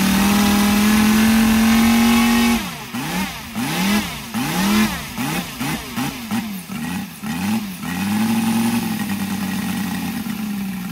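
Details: Brand-new Saito FG-73 five-cylinder radial, fully upgraded with Morris Mini Motors hardware and exhaust ring, on a Biela 20x10 four-blade prop (600–5500 rpm): smooth drone swinging up and down in pitch with throttle, then settling evenly; normal, healthy running.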